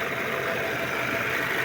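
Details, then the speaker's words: Vehicle idling after power steering pump repair and rack-and-pinion overhaul with leaking seal replaced: steady even idle, former loud pump hum gone; normal, confirmed by road test. "So ngayon wala na siyang ugong. So road test na lang natin to para malaman."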